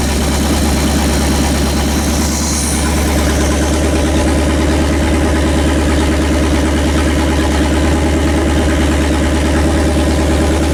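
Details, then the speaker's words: Pontiac 400 V8 on homemade engine run stand, second break-in after earlier flat tappet cam lobe, lifter and bearing failure: strong even idle with steady lope, no knocks or ticks; behaving well, with valve cover oil leaks. "great success ha Pontiac is behaving itself that is good news"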